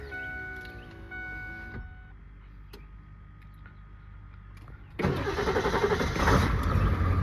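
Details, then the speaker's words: 2001 Ford F250 Super Duty 7.3L Powerstroke diesel cold start after a roughly 40°F night, one glow-plug cycle; chime and ticking, then it fires right up into a steady, even clatter, a normal cold start. "as you can see fire's right up no problem"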